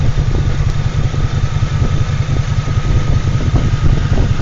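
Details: Toyota Tacoma X-Runner after a burnout: deep idle with uneven stumbling beat, about one skip per second, suspected misfire; coil found still wired, but a loose bolt found at number 4.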